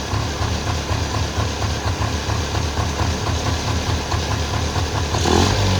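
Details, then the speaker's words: 1994 Polaris two-stroke 4x4 quad, long sitting, idling after battery charge and starting fluid; loud even popping about four per second with steady low throb, quite smoky; running cleanly, just needed the battery charged. "that was surprisingly easy I guess uh just needed the battery charged"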